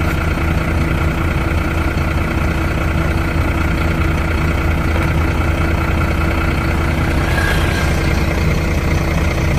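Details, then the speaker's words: Truck parked four days in hot Goa would not self-start; jump-started from another truck's battery, now a normal idle: steady low diesel rumble with an even beat of about three per second, no misses. "ಸೆಕೆಂಡಲ್ಲಿ ಗಾಡಿನೂ short ಆಯಿತು. ಇವಾಗ ಮಾಮೂಲಿ ಎಲ್ಲ clean ಆಗೈತೆ."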